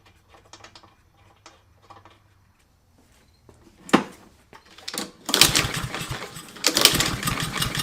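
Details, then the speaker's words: Fire-damaged Husqvarna LC 221RH mower, Honda GCV 160 engine, with an empty fuel system and fuel squirted into the cylinder: quiet cranking clicks, then a few ragged bursts as it catches briefly and dies. The engine fires on primer fuel. "i'm just going to go straight to the fuel give her a squirt put her plug back in and we'll give her a crank cc fires up i'm going she's fired"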